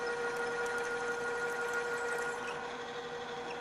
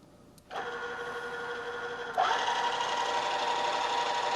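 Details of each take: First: Drill press drilling metal, switched to a lower speed after chatter: a steady mid-pitched whirr with an even light chatter of the bit; the drill is cutting smoothly at the lower speed. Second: Drill press stepping up from a quarter-inch toward a 1-inch hole with a half-inch drill: a hum, then a harsh ringing, vibrating whine as the drill chatters, deflecting and jumping in the hole from running too fast; fix is lower spindle speed.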